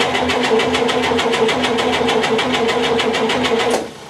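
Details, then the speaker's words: 1958 GMC Apache pickup, left outside 3+ years, compression test cranking: even beats about three per second; cylinder 3 reads a good 140 psi, compression healthy and consistent. "Now another good 140. Try cylinder number 4. Another good 140."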